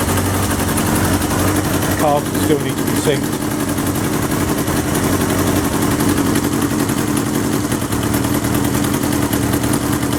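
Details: 1977 Kawasaki KZ650/Z650 B1 four-cylinder, air screws 2¼ turns out (manual says 1½), second-hand starter fitted; steady idle with slightly lumpy, uneven beat and some exhaust chuff; carbs still need syncing.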